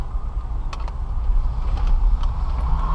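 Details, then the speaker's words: 2014 Dodge Durango Citadel Hemi AWD test drive through curves, mic near the former noise spot, after replacing front sway bar links: only steady road rumble, no clunks or knocks. Clunking over light bumps is fixed. "no noise there right there typically it would have been clunking because the body was kind of shaking back and forth taking that all right around here ready nope it's fixed"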